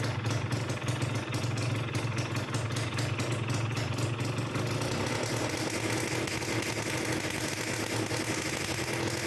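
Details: Two-stroke motorcycle engine after reed valve (membrane) reinstallation with the stopper plate removed, started after cranking to prime the carburetor: fast buzzy idle with even crackle settling into a steady run; normal idle.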